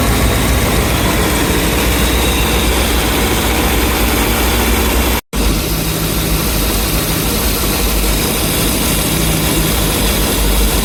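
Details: Boat 454 big-block Chevy V8 at idle with 8° BTDC timing has a lumpy, uneven beat with a recurring exhaust stumble. Misfire is on cylinder 8; compression is good and the plug swap changed nothing. Engine misfire at idle.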